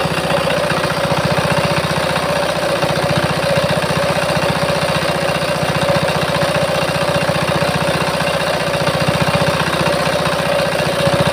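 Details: Changhuang R175A single-cylinder diesel, which previously would not start, running after complete restoration and filling with multigrade oil: even, steady thump around two and a half beats a second with no misses or knocks; runs cleanly.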